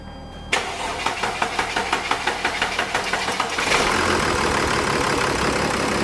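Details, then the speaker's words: Mercedes diesel, on its first start-up after an oil cooler job. The starter cranks about three seconds, then the engine catches and settles to an even idle; it starts normally. "John's put back together the oil cooler job. This is its first start up, so hopefully it starts."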